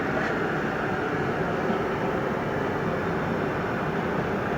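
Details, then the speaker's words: Oil burner on a boiler or furnace at its annual tune-up, running during the smoke test: steady even roar with no pulsing, rumble or sputter. The smoke test paper came out clean. "it's very important that you take your smoke test you want to make sure that the boiler or furnace is burning clean"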